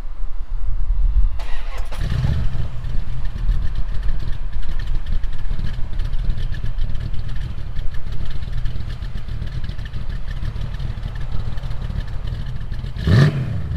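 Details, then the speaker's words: Dad's 1936 Dodge: engine catches and settles into a steady low rumble with a slight rhythmic cam lope, pulling evenly; runs healthy though a slight vibration remains somewhere in the motor. "so you can hear the cam very well and now that this motor is working almost a 1a granite we still have that little bit of a vibration in it everything works great"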